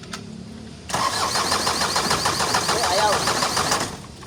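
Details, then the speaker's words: Isuzu 4HL1 diesel with ECU, won't start after sitting one day: starter churns about 3.5 turns a second for three seconds, never fires. Crank no-start; suction control valve (SCV) suspected. "Lock, start. Ayan, ayaw talaga guys."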